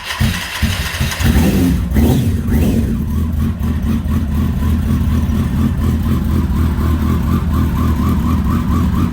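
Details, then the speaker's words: Kawasaki ZX10R after an engine install, primed with 2 gallons of 93 octane on a recharged battery: catches after a brief crank, blips up and down, then settles into a smooth, even idle. A normal start and idle. "Well, it's running. That's good news."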